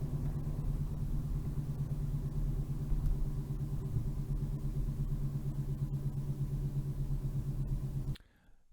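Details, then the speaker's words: Ford Ka worn front wheel bearing on a road test from 25 mph, recorded with a multi-sensor NVH kit: a low road-speed rumble with a slow wow-wow throb, worse at higher speed as vibration and noise rise with road speed. "and it appears to be worse at a higher speed"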